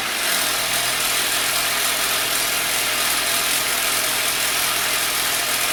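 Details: 2003 Pontiac Sunfire 2.2L Ecotec L61 at steady idle after valve cover reinstall, busy clattery rattle up top; timing chain slap from loose broken plastic timing chain guides, little improvement after removing pieces.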